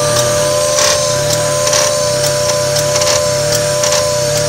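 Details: 1995 Mazda MX-3 idling: sharp click about once per second, each dropping the idle dramatically before it jumps back to about 1000 rpm, with faint rattle; owner suspects the AC.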